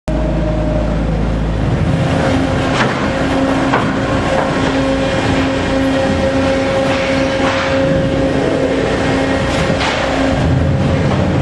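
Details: Phoenix Omag cuber during travel: steady machine drone broken every few seconds by a sharp irregular pop; not mechanical, settings change its frequency but don't eliminate it.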